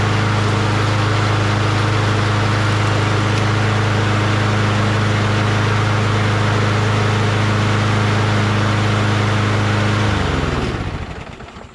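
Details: Engine: smooth, steady low drone at constant speed with no misses or knocks, then a clean run-down at shutoff; healthy engine.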